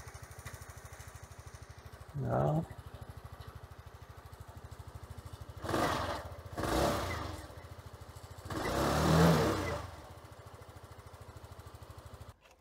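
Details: Sym Jet 14 fuel-injected scooter with hard starting and RPM fluctuation, idle screw set for about 1000 rpm: a steady, even single-cylinder beat with a few louder swells; idle holds stable and healthy. ECU overheating suspected.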